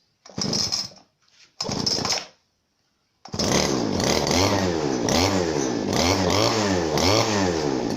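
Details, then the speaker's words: Genuine Makita RBC411 two-stroke brush cutter: two short pulls fire briefly, then it catches and settles into a full, even, deep, soft buzz with no misses; healthy running. "นำตายของมันที่ได้นะครับเสียงจะทุ่มนุ่มลึกนะครับก็เสียงที่นุ่มๆครับ"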